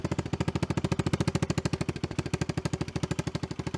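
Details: Kawasaki KLX110, probably early 2000s, after sprag clutch repair, oil change and new chain and sprockets: quick, even single-cylinder exhaust pops at a steady beat, no misses or rattle; normal idle.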